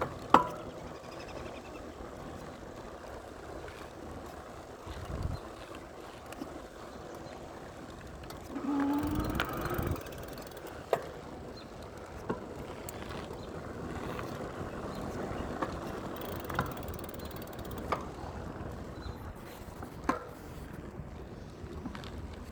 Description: I have a loud clunking sound that happens constantly while riding. it occasionally goes away but most of the time it makes this sound.